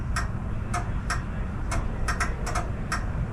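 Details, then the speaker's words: 1972 Datsun 240Z converted to H4 headlights with a fitted Toyota wiring harness, engine running, low then high beam tested: sharp crisp relay clicks, about eight in three seconds at uneven spacing; relays switching normally, wiring correct. "can hear the relays clicking that's cool so things working fine so I got the wiring correct"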